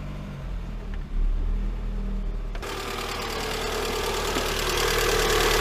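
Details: Lada Granta 126 engine after full rebuild (bored block, new bearings, 82.5 pistons, new timing kit and valves), idling: fast light ticking knock, same cold and hot; teardown found hydraulic lifters sitting high and low, one broken apart.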